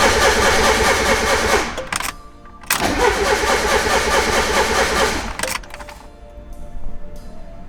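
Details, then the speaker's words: Turbo Miata cranks but won't start right after a wideband gauge was plugged in; unplugging the wideband didn't help. The starter churns steadily, stops and cranks again without catching, cause unknown. "the wideband in and now the car doesn't start what okay so um I unplugged the wideband see if it starts what the happened to this thing"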